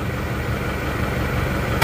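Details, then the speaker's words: Isuzu D-Max diesel after nozzle repair, idle around 750 rpm; steady even clatter, normal engine vibration, no hunting or shake unlike before; smooth healthy idle. "ini sudah rata normal seperti mesin pada umumnya ya tidak tidak goyang-goyang dan tidak ginjal ginjal ya getaran mesin wajar seperti ini tapi tidak goyang"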